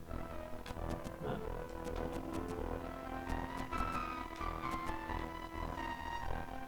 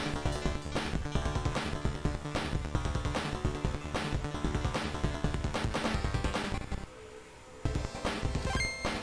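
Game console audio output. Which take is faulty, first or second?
first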